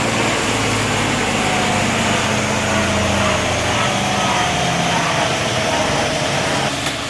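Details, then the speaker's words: 300,000-mile 4L80E 4x4 automatic after full overhaul (valve body bored, light shift kit, new solenoids, seals, clutches) on dyno, fourth gear with converter lockup: steady smooth hum, faint even gear whine, no clunks or slipping flare; healthy. "gears. Third, fourth, lock up."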